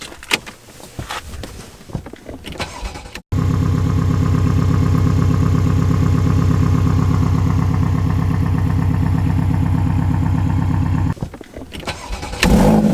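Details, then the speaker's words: Porsche Boxster 981 S flat six at idle: loud steady chuffing blow over the engine, no warning lights, runs fine otherwise; suspected exhaust or manifold leak, later tied to the exhaust bolts. "Sounds like the exhaust's blowing on it. No lights whatsoever. We're thinking something's blowing on the manifold or the exhaust. It's running fine, it's just making a horrible noise, especially at idle."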